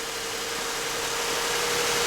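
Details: 2007-2013 Toyota Highlander 3.5L V6 cold start after replacing the water pump, thermostat, and idler and tensioner pulleys, run to check for leaks: steady, even idle with constant hiss and a faint tone, no bearing growl or pulley chirp.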